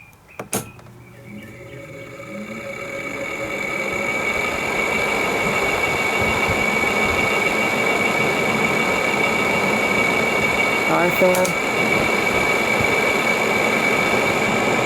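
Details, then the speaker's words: Frigidaire air conditioner in a shop, October 2019 at 76°F: fan spins up into a steady rush with a thin high whine on top; fan motor bearings failing, possibly after a voltage change from new electric line. "the fan motor in this one day in it is starting to fill out the bearings about it makes a lovely noise"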